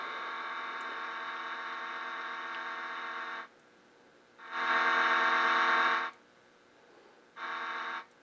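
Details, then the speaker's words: GE 404 six-tube radio on first power-up after restoration electrical work, volume down: steady high-pitched buzzy whistle cutting in and out in bursts; squeal, needs alignment. "home with the volume down all the way but a little bit of squirrel going on so obviously it needs to be aligned"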